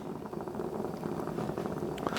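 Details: New Blackstone 36-inch Omnivore griddle: steady gas roar with a rough, fluttering crackle. The burners pop even after swapping hose, regulator and tank and blowing out the burner tubes and gas line; cause unknown, possible defect.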